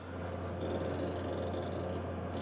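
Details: Power Macintosh G3 Minitower hard drive during video playback and saving: quick chattering head-seek ticks over a steady low mains hum. Ordinary seek activity, and the drive is working normally.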